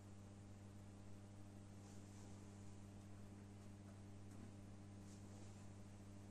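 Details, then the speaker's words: Genius 5.1 speaker system: low, steady hum with no rhythm, unchanged even at minimum volume, heard from satellite speaker; noise traced to one PCB, suspected fault in that board's power supply. "the problem seems to be from this pcb but because from the frequency of this sound i think that the problem is from the supply of this pcb"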